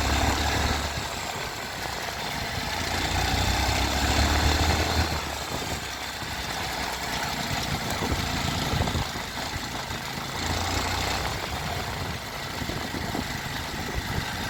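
Small single idles with a rough, rattly clatter over the thump of the exhaust; an odd mechanical noise, cause unclear.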